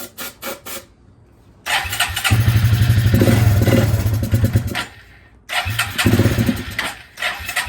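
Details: 2000 Suzuki Quadrunner 250 4x4 with 603 miles, sat about 2 years, started on choke with brake cleaner in the airbox: single-cylinder thumping in bursts, revs climbing then stumbling, with the airbox lid and air filter off. Uneven running.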